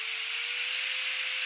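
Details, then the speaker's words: Nail-drill (manicure file) handpiece motor running after disassembly, before cleaning and lubrication: steady high hiss with one clean, even tone near 500 Hz, quiet and even, despite a strange noise reported after the handpiece was dropped. "сейчас собственно включу посмотрим спросом мотор работает достаточно тихо"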